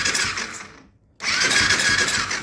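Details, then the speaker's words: 2008 Kawasaki KFX450R with the spark plug removed: quick, smooth cranking with no drag or hesitation; owner suspects the decompression is not releasing when the plug is in. "I'm gonna take this out and show you what it does without the plug-in. It turns over perfectly fine, like it should when it's in. It's so weird. No hesitation."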